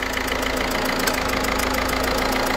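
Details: PSA DV4 HDi diesel at idle; sharp regular chuffing tick in time with firing over diesel clatter, with burnt-gas smell in the cabin: injector seal leak chuffing.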